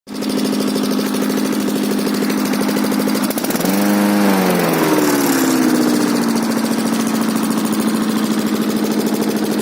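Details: K-800 diesel after repair; holds a steady drone, revs climb briefly and settle back smoothly, with no knocks or misfires; normal healthy running.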